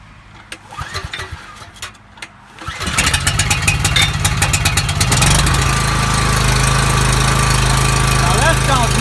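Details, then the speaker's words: Coleman generator engine after governor replacement (part 277-42201-33), started on choke; tachometer reads about 3590 rpm rising to about 3615 on high, target 3600. Fires after brief fiddling, settles to steady, even run, no misses; normal start and run. "that sounded wonderful alright so what I did with using this tachometer I got the machine up to 35 I'm 90 and then on the high side it goes up to 39 36 15 so that's right in the ballpark you want"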